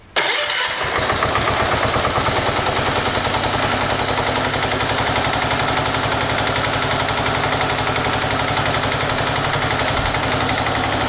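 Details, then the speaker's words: 1980 John Deere 212 lawn tractor single-cylinder engine, first run after replacing leaking crank seal and oil change: quick crank, catches at once and settles into steady, even idle with no knocks or misses; normal start and idle. "So, let me put the this over here, and we'll fire the engine up, listen to it, and see how it runs. Hopefully. Should run perfect."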